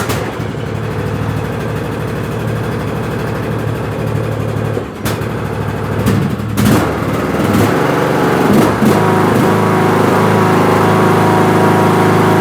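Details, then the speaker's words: Craftsman LT2000 riding mower, 19.5HP Briggs & Stratton 31P677 500cc single, after head gasket replacement for white smoke, low compression and sputtering: steady even thumping, no misses or knocks; running healthy. "Seems all good to me. I don't see nothing."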